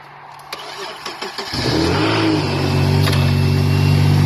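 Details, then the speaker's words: Subaru SVX with dual throttle bodies and automatic transmission, jump-started: a few cranking chugs, then it fires into a very loud, deep, raw rumble from the straight-piped, unsilenced exhaust. "Very loud, very straight piped."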